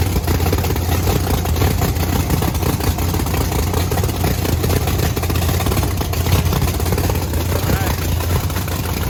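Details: Methanol blower race V8 Camaro refueled: a loud, lumpy but steady idle with an even rumble and no knocks or misses; the two cylinders with bigger jets run about 60–70 degrees colder, which is not worrisome.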